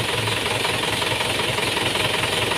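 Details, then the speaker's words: Car alternator test at idle: the positive battery terminal is disconnected and the engine keeps running at an even, fast rhythm with no stumbling, showing the alternator works. Normal idle. "Tapi kita perhatikan mesinnya tetap hidup. Nah, itu artinya berarti alternatornya berfungsi dengan baik."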